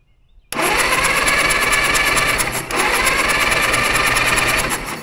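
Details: Caterpillar dozer parked since 1992, gasoline engine with magneto: fast steady cranking about four beats a second, spins freely and cranks over nice but never catches; no spark, magneto breaker points need cleaning.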